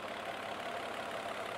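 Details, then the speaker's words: Mercedes with Bosch K-Jetronic after fuel injector replacement, hot start after sitting about 20 minutes: starts right up into an even, steady idle with no misses, surging or knocking. "Aha! Look at that! It started right up and idles fine. Listen to that baby."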